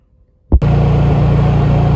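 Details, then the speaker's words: Honda EU3000is inverter generator after fixing its surging; catches and settles to a steady even hum with no hunting, running much better before a heater load is applied. "I'll plug that in to put a load on this thing see how it feels but it's already running a lot better"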